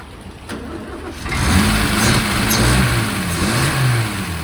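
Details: 1963 Mercedes W111 with mechanical injection pump, at a start attempt after the injectors were ultrasonically cleaned and the distribution block cleaned. It cranks briefly, catches after about a second, then settles into a steady, even run with a light rev: normal running.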